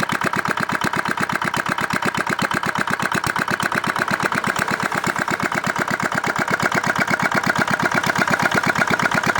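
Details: Old modified Chinese R180 single-cylinder diesel for wood splitting, after repair for repeated seizing despite prior crankshaft replacement: even rapid chuffing with no knock or miss; runs healthy.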